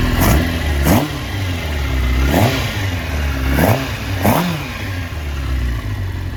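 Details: 1996 Suzuki GSX-R750 SRAD after swapping troublesome Keihin FCR39s for rebuilt, ultrasonic-cleaned stock carbs with a Dynojet kit: sharp throttle blips rising cleanly and falling back to a steady idle, no stumble or misfire; running healthy.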